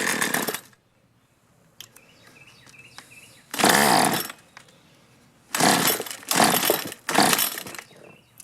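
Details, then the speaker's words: Troy-Bilt two-stroke string trimmer, stored drained over winter and previously quitting after 10–15 minutes of use, catches on choke and half choke in short revving bursts, can't hold idle. Little fuel getting through; owner suspects clogged carburetor. "check for spark and then uh not getting a lot of fuel pushing through here maybe the carburetor's clogged up"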